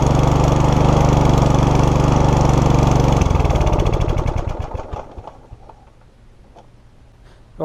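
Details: Mountfield HP454 lawnmower unused in a garden for 4 years, before carburettor clean: runs steadily about three seconds then loses its beat and stutters out off choke; blocked carburettor jets, later fixed by cleaning carb and replacing fuel cap.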